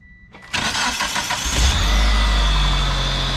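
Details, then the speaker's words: 1997 Mitsubishi Eclipse GS-T after replacing the aftermarket starter that caused metal-to-metal cranking noise: brief smooth cranking catches quickly into steady even idle, no grinding or clatter; normal cranking and start, fixed. "all right i actually consider this a fix so yeah if you're having a weird funky noise issues when you guys are cranking the car over um you might want to start with starter instead of doing what i did"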